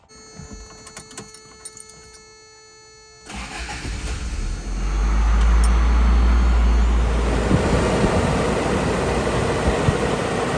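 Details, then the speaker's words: 1991 Toyota pickup 22RE engine after spark plug wire replacement (a cracked wire was found): starts cleanly, revs up and settles to a smooth, even idle with no misfire or stumble; runs well. "All jokes aside, well, it runs and it works really well."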